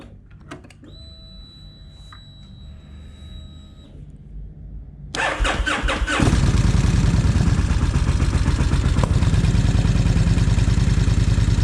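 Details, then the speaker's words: Kawasaki Vulcan 1600 started on a freshly charged new battery, charging at 14.7 V: the engine catches to a loud, even rumble with rapid clacking. Rocker arms are suspected, not confirmed. "Okay, she's running. You can definitely hear them rock arms clacking."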